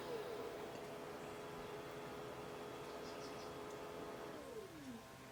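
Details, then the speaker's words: Original Xbox optical drive, light flashing: steady whirring that hunts and changes direction then winds down, struggling to read a disc; busted drive belt suspected; optical drive whirring and struggling to read. "that's the disk drive making all that noise see how it's flashing it's trying to trying to do something with the drive"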